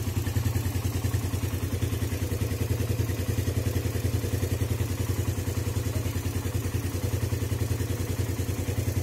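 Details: Suzuki Satria FU single with PE 26 carburetor, cold engine after electric start: fast, even, steady putter with no knocks or misses; clean cold idle on choke.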